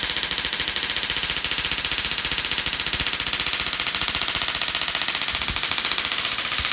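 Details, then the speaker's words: Dual RPS half reconfigured to about 100 kV with half the diodes flipped, Darson Bell configuration; harsh rapid crackle at about four snaps per second, even and hissy, as it charges up and discharges; normal spark gap arcing. "so it'll run it charges up discharges starts making the noise"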